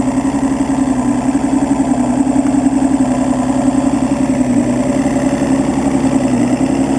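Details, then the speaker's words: Evinrude 200 two-stroke outboard that only starts after fuel is added to the chamber, with suspected missing ground on EMM pin 22: smooth, steady idle burble, even pulses, no misses or knocks; normal idle once started. "okay so as you show dine runs perfect"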